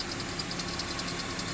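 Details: Honda CR-V after repairing the exhaust leak at the pipe flange after the catalytic converter with a split flange and 5/16 bolts: a steady, even petrol idle with light valve ticking and no exhaust puffing; the leak is gone.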